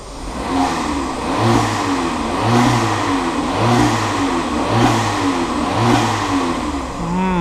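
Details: Seat Ibiza, possibly remapped, after new timing chain tensioner and turbo actuator: repeated blips about once a second, each with a rising whoosh and whistle from the intake; it previously went into limp mode when revved; loud intake noise, cause unconfirmed.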